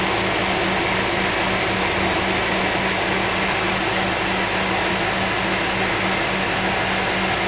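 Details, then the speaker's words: Toyota 3UZ-FE V8 after LPG-burned valves, three valves replaced and both heads fully rebuilt, warmed up with cooling fan running: smooth, even idle with no misses or knocks, as a V8 should run. "Вот так должна V8 работать. Никак по-другому."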